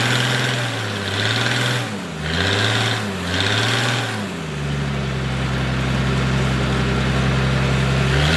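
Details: Military surplus forklift with carburetor, running after the fuel pump was bypassed and the fuel line run direct to the carburetor; steady drone wavers at first, then holds an even smooth pitch; it runs and drives normally.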